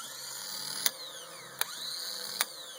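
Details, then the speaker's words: Honda Odyssey starter on the bench with ignition key simulated: solenoid clicking, three sharp metallic snaps over a faint whir, sparks thrown out the back; starter failing internally with a short, to be returned as a core. "clearly this unit is failing internally and if you catch it right after it sits for a little bit it'll throw Sparks out across the floor"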